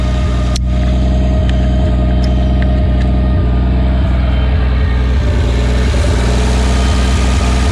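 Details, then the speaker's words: 1951 Studebaker Champion six-cylinder, first run in 35 years after carb rebuild, likely no coolant in system: rough idle with steady hum and faint whine; owner suspects water pump noise from running without cooling, all six cylinders firing. "a water pump making that noise because there's probably no Cooling in there"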